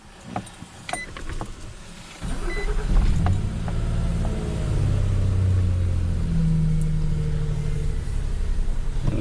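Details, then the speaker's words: 2006 Nissan Frontier 4.0 V6 after replacing the blown fuse that caused a no-crank, no-communication fault. Engine cranks, catches in about two seconds and settles into a steady low idle with no knocks or misses. "running fine okay guys that's it for the no start issue on this Nissan Frontier"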